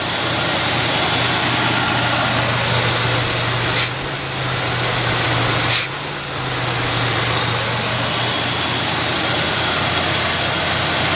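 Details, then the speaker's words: 1979 Hurst Olds T-Top V8 idling, running on old stale gas: steady even low rumble, a couple of brief handling knocks; runs and sounds good. "Runs good. Sounds good. Stinks like old gas, but it's still running on the old gas."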